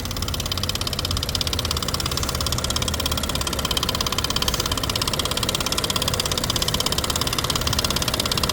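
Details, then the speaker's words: 2017 Nissan Pathfinder at idle, hood open: steady idle with a quick, even tick about three a second, seeming to come from one bank; suspected lifters, would need intake removal, unconfirmed; oil looks good. "It definitely feels like it's on this side, whatever it is. So I would imagine you're doing a little bit of work, taking off that intake and lifters to start with, that kind of thing."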